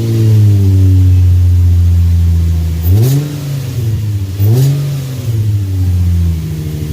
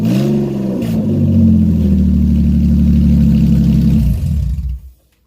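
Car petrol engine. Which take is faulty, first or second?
second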